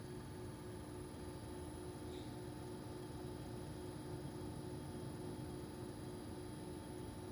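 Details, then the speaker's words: Armstrong Air (Lennox-made) home AC condenser: very soft, steady hum with a faint fan hiss and no rattles or buzzing; running quiet and healthy. "this is an Armstrong air you know this is also made by linnux listen how quiet that is"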